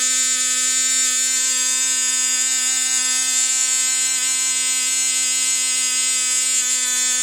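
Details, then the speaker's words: ASP 12 glow engine converted for NZ Slow Combat, on test with trial fuel and venturi options: steady high-pitched scream at full throttle on one even note, not reaching target speed; probably needs more running-in, may try a 4.8mm venturi. "Not quite there, probably needs a bit more running, but may try going to a 4.8mm Venturi."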